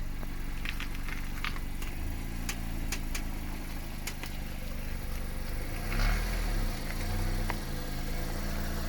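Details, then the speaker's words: 2016 Mazda MX-5 Miata (ND) idling while the wheel is turned slowly toward full lock, as when parking. Scattered sharp front clicks and an occasional pop; driving is unaffected and the cause is unknown. "sometimes halfway though I get a click click and sometimes a click click pop kind of noise it hasn't affected the the way it drives or anything"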